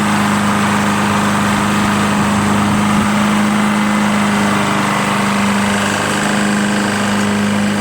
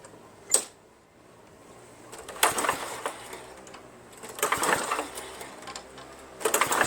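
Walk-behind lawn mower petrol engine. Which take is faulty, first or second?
second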